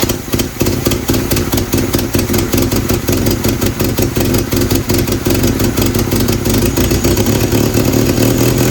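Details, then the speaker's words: 1967 Volvo 122 Amazon, abandoned 35 years, 62–66 exhaust manifold, idling: sharp puffing ticks on every firing pulse from a hole at the manifold-to-downpipe flange that would not seal; recorded before the exhaust is pulled for a new 2-inch sport exhaust. "This thing has made a lot of noise from the hole on the flange here. I've not been able to get it sealed up."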